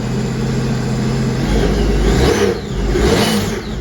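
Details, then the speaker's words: Sea-Doo RXP-X 260 supercharged engine after reinstalling supercharger and breather and flashing PSFlasher tune, in winter; starts cleanly with no fault codes, two crisp revs falling back smoothly, healthy free rev. "All right, starts up. No fault codes."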